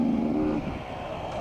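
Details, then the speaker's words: Off-road dirt bike racing at Gopher Dunes, clutch out of adjustment: throttle on with no drive, engine note flares and sags, revs climb as if unloaded; clutch slipping. "Just do a little jump because the bike's not working. Let's just hear it just over rev. It's just broken."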